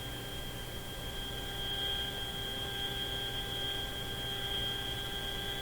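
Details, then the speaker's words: GE CL541A ship radio receiver after a quick alignment: a steady high whistle over hiss and low hum; turning one IF alignment screw slightly suppresses it, turning further makes the spurious tone distinct; cause suspected, possibly shop noise. "Well, that seemed to suppress the tone a little bit, but I'm not sure what's happened to the actual alignment of the radio. I turned this one screw off a little bit. If I go a little further, that annoying tone becomes quite distinct."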